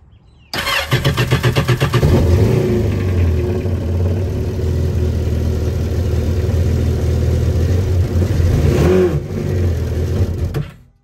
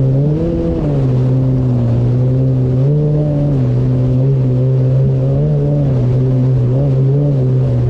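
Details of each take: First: 2019 Yamaha GP1800R WaveRunner, supercharged 1.8L, started with lids off before repair: cranks, catches and revs with a dull lumpy drone and no supercharger whine; failed supercharger clutch, supercharger not spinning, no boost, blow-off valve not actuating, likely running rich. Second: 2019 Yamaha GP1800R WaveRunner, supercharged 1.8L, test run on the water after supercharger clutch replacement: strong steady drone rising and falling cleanly with throttle, no rattles or slipping; running normally.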